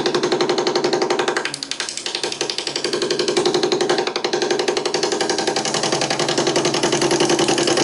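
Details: Wood lathe running with a fast, uneven flutter and dull clunks as the drive belt skips; motor tensioner lever hits the table, so the motor can't drop and the belt lacks tension and slips.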